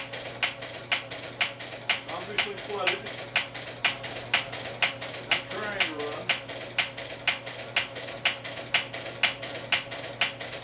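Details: Mystery engine's first start attempt, cranked by belt from a motor with fuel mixture open about a quarter turn: sharp, even clicks about twice a second, no firing bursts, turns but won't catch; cause suspected, not confirmed.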